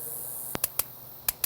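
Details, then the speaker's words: Large gas grill's electronic igniter tested after cleaning and fitting a new battery. Sharp, dry clicks, about five per second; the igniter is sparking properly. "hear the clicking that's telling you that it's working a big grill like this though remember it's got three different igniters"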